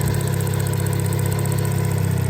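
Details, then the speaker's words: Suzuki Cappuccino with an idle problem, vacuum lines already replaced: even idle with a thin, steady high hiss, pointing to a vacuum leak on the intake side. "yeah it's doing it again you hear it the vacuum leak there's definitely a a leak here"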